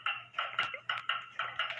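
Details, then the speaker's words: Hamilton Westminster-chime grandfather clock, before beat adjustment of the crutch: crisp ticks about four a second with gaps alternating long and short instead of even; the pendulum is out of beat. "by the way this clock is not in beat yet it doesn't have an even tick to"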